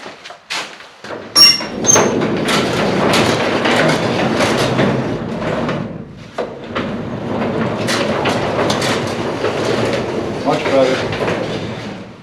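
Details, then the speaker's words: Genie 2055 opener on a pole barn garage door, after silicone spray on torsion springs but before oiling hinges: rumbling, rattling run with creaks and clatter, mostly from dry center hinges; oiling them made it much quieter. "It's these center hinges that make the most noise."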